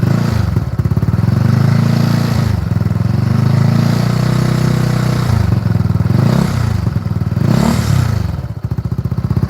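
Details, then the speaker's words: Benelli 135 single-cylinder motorcycle idling with a loose, clattery rattle over its thumping beat; the noise seems to come from the engine, though a loose vibrating fender is also suspected, and loose bolts were already tightened, which removed some of the noise. "I'm hearing some noises coming from the engine. I don't know if it's coming from the engine, but my brother he went ahead and started tightening up all these bolts that he seen was loose."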